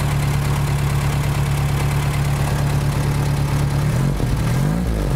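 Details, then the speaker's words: 1975 VW Shorty bus that sat over 20 years, first idle after starting, having flooded a little earlier: steady low thrumming idle with a soft, slightly loping beat and no knocks, running a little rich but quiet. "Running a little rich. I think she's running enough, good enough to move her down the road, though."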